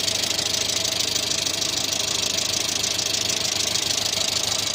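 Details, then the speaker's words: 1986 Renault Super 5 GTL 1.1 petrol: an even, steady idle with a light, fast, regular patter and no stumbles; owner calls the idle fairly stable despite light smoke near the starter. "Bon, elle tourne toujours bien. Un ralenti plutôt stable, je trouve."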